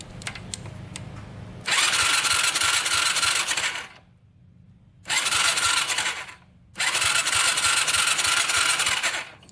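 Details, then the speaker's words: 2006 Yamaha YFZ450 quad, cranks but won't start, plug swapped from CR8E to test. Starter cranking in long bursts, about three turns a second, never firing; no spark. Owner suspects oil reaching the stator or pickup coil, fears the CDI. "No spark yet. Alright, it shocked me one time, so I know it sparked at least once when I was hitting the starter, but we're running out of juice on the starter and it's not sparking at all."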